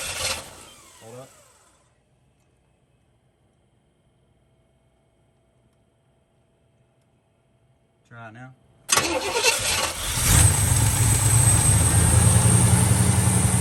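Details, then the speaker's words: 1978 Trans Am, 455 Olds big-block V8 with Quadrajet carburetor, cold start to set the fast idle: quiet pause, then cranks, catches and settles into a steady raised fast idle; the choke pulls in properly. "yeah i guess we'll crank it up and let it warm up see if it opens the only the only way to adjust a fast idle is to do it while it's cold"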